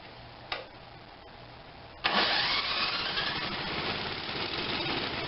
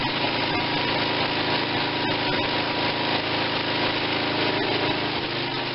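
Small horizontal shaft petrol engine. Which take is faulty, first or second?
first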